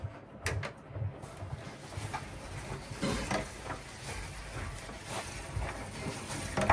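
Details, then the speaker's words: Miele T8003 dryer, drum turned by hand with old carbon brush reinstalled: rough scraping rasp swelling and fading; worn carbon brush (part 4490382/5153702). "you hear that? Especially when it comes to this area here. So of course the carbon brush is bad."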